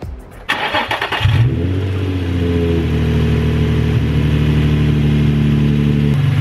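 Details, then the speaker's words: Nissan 350Z with a code for a cylinder 1 misfire; spark plugs done and coil packs swapped between cylinders for testing. After cranking it catches into a lumpy, uneven, stumbling idle with one cylinder dead, and the code now reads cylinder 3. "already tell it's running rough and it sounds like it's running a different ruff we'll see if you're wondering what it sounds like and why I can hear the misfire listen [Music] do you hear that that's the misfire"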